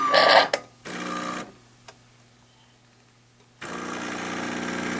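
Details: Espressione Supremma super-automatic coffee center brewing a single shot after cooling the boiler from steam temperature (about 212°F) toward about 200°F brewing temperature; short bursts of buzzing pump hum, a pause, then a longer even buzz; normal brew cycle.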